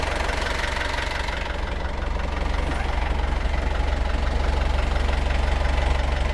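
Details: Perkins 4.108M four-cylinder 50 hp marine diesel, first start after six years idle, glow plugs preheated: steady even diesel clatter at constant idle, no misses or knocks; exhaust carries water, no smoke, alternator charging; healthy smooth idle.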